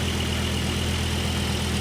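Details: Volvo S70 at cold start: a mostly steady idle with a slightly uneven low thrum hinting at a stumble. Misfire at cold idle; the exact cause is unknown, but a full tune-up solved it.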